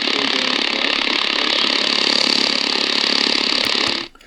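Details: Prunus J-168 portable radio on shortwave: hissy static with fast buzzing pulse about 160 per minute under weak station WRMI Florida; RFI generated inside the radio, not the house.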